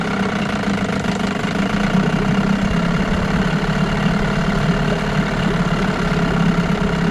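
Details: 1989 Evinrude Yachtwin 6 hp two-stroke outboard running in a test tank: rough, fast rattling knock through a loud idle; seller claimed a bad crank, owner unsure; it smokes and doesn't pick up revs until full throttle, maybe a carburetor or fuel pump issue.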